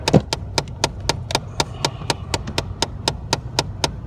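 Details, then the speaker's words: Chevrolet Cavalier: sharp evenly spaced clicks about four a second over a quiet low hum, coming from a box; repetitive clicking, cause not pinned down. "it's coming in from this box right here"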